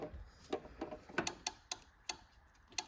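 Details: John Deere 445 tractor, crank no start: sharp irregular relay clicks two to three per second with no fuel pump hum; pump not running, caused by corroded fuse holder and melted fuse.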